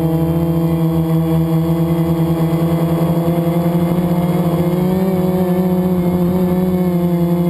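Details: FPV quad flown with a bad motor bearing, before it was oiled and replaced with a spare; high motor tones waver with fast pulsing rasp under throttle; quad twisted on full throttle; worn motor bearing.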